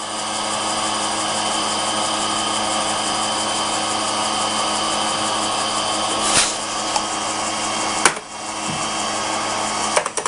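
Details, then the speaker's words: Vintage Radio Shack TRS-80 Model 16 from a garage loft, first startup with a disk inserted in the floppy drive: harsh, steady grinding hiss over a constant whir with clicks. The drive seems to be eating the disk; cause unconfirmed. "oh boy who that does not sound good ooh I don't know if it's supposed to sound like that"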